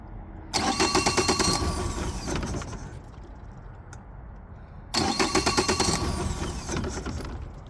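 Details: 2020 Mercury 150hp outboard: two bursts of regular starter churning, about three turns a second, each fading out without the engine catching; cranks but won't start.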